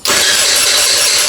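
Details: GY6 49cc 139QMB scooter engine rebuilt after blown bottom end, timing redone, carburetor swapped: brief buzzy cranking with no firing; no start because no gas was in the carburetor.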